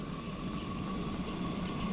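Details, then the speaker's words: Blowfly steam locomotive during boiler recertification steam test, after passing hydraulic test: even steady hiss with faint high whistle, no knocking or sputter; boiler in steam and holding fine. "can hear that the engine's in steam."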